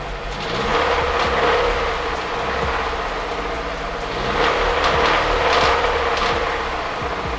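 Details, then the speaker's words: Nissan S13 200SX with CA18DET engine after its first drive: loose, uneven knocking about four per second while running; owner unsure of the cause, possibly the cat, cowlings or multiple things. Radiator cowling off, running under temperature. "so next we just have to figure out what this knocking kind of sound is apparently it might be the cat might be cowlings it might be multiple things"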